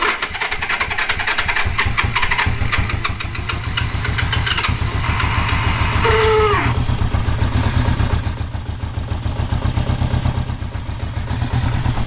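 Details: 1973 Honda CB350G twin, first start in over 10 years of storage after cleaning the points, on choke with leaking carburetor (suspected bad float/fuel shut-off): catches and settles into fairly even popping idle with brief blip; sounds good.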